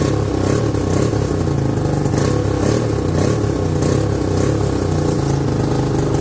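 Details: 1969/70 Sears snowmobile, single-cylinder Kohler two-stroke, sat outside a year, first run after revival: steady fast buzz holding high idle without missing; owner says it's sucking air, running lean.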